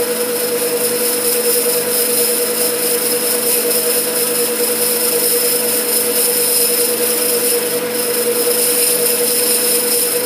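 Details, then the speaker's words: Lathe parting cut with a fresh insert in the parting blade: steady high singing tone, even through the cut with no shudder or rising squeal; normal sound from the parting tool's flutes, not chatter. "by the way that sound that's that's not chatter that's the flutes on the parting tool making that noise"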